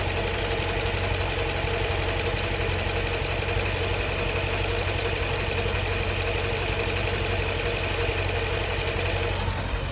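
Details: 2015 Jeep Grand Cherokee SRT 6.4 Hemi V8 at idle with a fast light tick, about three per second; lifter tick is suspected, cause not confirmed.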